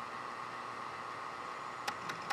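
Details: IBM ThinkPad 760LD booting from a floppy drive swapped in for the CD-ROM: steady hiss and faint whine, then three sharp head clicks; drive retrying a hard read, suspected worn drive or old discs.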